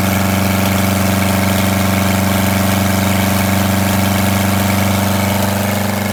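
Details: Detroit Diesel 8V92TA in a Wanderlodge RV idling after a failed injector was replaced: heavy idle with a rhythmic lope of about four beats per second and uneven firing, a misfire later traced to a scored cylinder and cracked liners.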